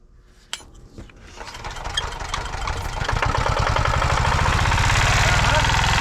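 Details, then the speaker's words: 1970s Hatz diesel compactor roller: catches after a few cranks and settles into a steady, even thumping that picks up pace cleanly; engine runs fine, though the drums are stuck and won't move. "oh yeah so yeah this thing runs dandy but uh yeah we're definitely having problems with the drums here"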